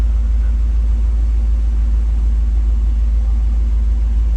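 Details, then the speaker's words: 1990 GMC 350 small-block V8 after engine swap, idling through Thrush muffler and Cummins exhaust tip, ~245,000 miles: deep, steady low rumble with even firing pulses, no misses or ticks; normal healthy idle. "has this cool Rumble now I love it fucking-a yeah I just like that rumble it's not that low Chevy rumble and it's accentuated with the exhaust tip on there"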